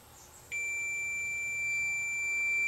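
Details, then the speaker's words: Funai TV that doesn't work. Multimeter continuity test across a small ceramic capacitor on the board gives a sudden, steady high-pitched beep: a dead short, possibly from something behind it. The capacitor is to be clipped out to see whether the set behaves the same. "It appears to have a dead short. I'm going to clip it and see whether the set does the same thing."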